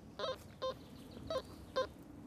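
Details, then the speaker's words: Regton XP Goldmaxx Power metal detector on a field test bed sweeping an iron target: five short, identical, clean low mid-pitched beeps about half a second apart, its distinct normal iron tone. "and finally the iron listen to the iron tune coming"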